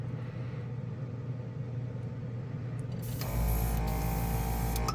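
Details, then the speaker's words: Newly arrived Gaahleri portable airbrush compressor just switched on (rated 30 minutes' run, then cool-down): a steady low buzzing hum, stable and barely vibrating, no knocking or rattle, with a brief air hiss. Normal running. "here so far pretty good it's pretty stable it's not vibrating much"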